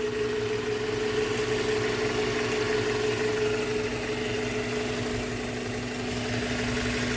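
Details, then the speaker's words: 1996 Toyota Hilux Surf SSR-X, 3RZ 2.7 L four-cylinder, hood open: smooth even idle with steady low hum and faint constant tone, no knocks or stumbles; healthy. "back at home here let's pop the hood motor Pur like a kitten as a Toyota should"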